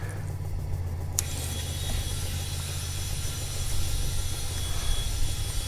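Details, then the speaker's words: ARB twin-motor compressor running with the original Viair, all three compressors together airing an MPT81 tire from 10 back up to 55 psi: loud, steady, deep, even drone with no knocking or rattle, i.e. normal operation. "These compressors, when all 3 of them kick in, are loud."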